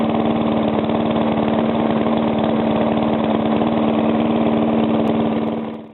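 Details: Briggs & Stratton single-cylinder, first start after a rebuild: the knock came from compression leaking past the piston, fixed by rearranging the rings and cleaning; now an even idle with no knock or misses, then a clean shutoff.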